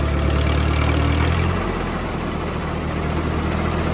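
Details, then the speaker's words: Old Massey-Harris 30 tractor idling on wood-splitter duty, 23 degrees out, started easily without choke: steady low idle with light uneven rattle on top; owner suspects throwout bearing, unconfirmed. Rattle at idle. "he does have a little bit of a rattle i've got a fill out there and he's kind of raving in there see that throw out bearing"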